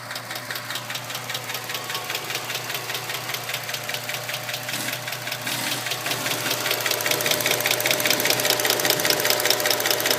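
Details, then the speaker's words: 2007 Dodge Magnum 2.7, 87,000 miles, at idle: a steady, sharp tick about two and a half per second rides over an even idle; it began abruptly and the owner suspects a lifter, unconfirmed. "here's my car it's a 2007 Dodge Magnum got a lifting noise going on on it it's got 87,000 mil on"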